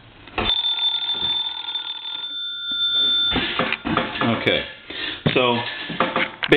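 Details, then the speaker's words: Vintage Siemens Milano Italian wall telephone, hook switch held down: bright rapid metallic ringing in bursts with steady high tones; normal antique-phone ringing. "now that sounds a little more like an antique phone so I think we're well on our way to repairing this cell phone let it ring one more time"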